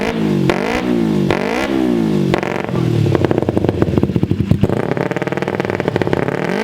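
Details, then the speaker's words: Kawasaki Ninja 250R twin in an offroad shifter kart buggy (Manco Deuce frame) with DG muffler, first start after wiring and fuel lines: crisp blips rising and falling cleanly, sharp popping free revs; normal revving. "We ran the fuel lines and it sounds amazing, guys. It revs up so well. It sounds beautiful with the DG pipe."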